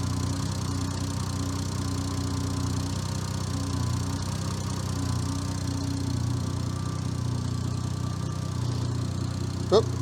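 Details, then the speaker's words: Brand-new engine with newly installed ECU, idling with timing light: idles in park, then when put in gear the idle turns low, heavy, laboured and slightly uneven as ignition timing retards about 30 degrees; cutting a wire didn't fix it. "I'm gonna show you the ignition timing idling in park, and then what quickly happens when we select the gear. Have a look. All right, select the gear. Have a look at that. We're around 30 degrees retarded."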